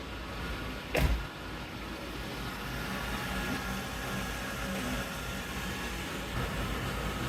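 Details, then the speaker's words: 1994 Chevy K1500 after replacing the tensioner pulley and serpentine belt. After one sharp click the engine settles into an even low idle with no squeal or chirp; the belt drive sounds healthy and normal. "all right with the belt on I'm going to go ahead and start the truck I'm going to be ready to turn it right back off in case I missed any part of that belt install all right everything sounds good"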